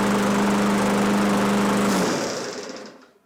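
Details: Free Craftsman push mower that had stopped running and had recoil rope issues, after repair work. The small engine holds a steady, even buzz for two seconds, then is shut off and coasts down smoothly; normal running.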